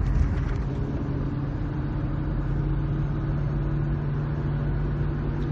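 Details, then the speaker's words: Ford 9.75" rear axle at 85,000 miles, recorded while driving around 50 mph on and off the throttle: steady low droning howl over road rumble from a worn-out ring and pinion, heard on the drive side. "so we have we're on the drive side of the opinion on their the ring and pinion it's just worn out by now our 85,000 miles it's due"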